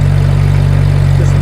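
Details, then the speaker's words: Over-ten-year-old SS sprayer engine whose belts, notably the generator drive belt, had been squealing though not torn: after silicone spray on the belt, a low steady engine hum with no squeal or chirp; belt noise cured. "실리콘 스프레이를 사용하는 곳을 한번 보여 드리겠습니다. 끼 소리가 났었거든요. 거 접 하나도 없죠. 깨끗하게."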